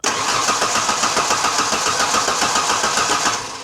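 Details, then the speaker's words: 1991 Ford Ranger 2.3, four-cylinder with eight spark plugs; the previous owner replaced coil packs, ICM, fuel pump and ECU, and the timing belt looks bad. The starter cranks at a steady three and a half cranks a second but never catches. No spark. "All right. There's no spark. You got to be kid."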